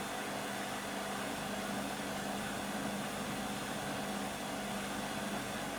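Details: Beko WM5100W 5kg street-found washing machine, plumbed in, rinse/spin test with rags: a loud steady roar with a droning hum through a long fast spin; far too noisy, cause unclear.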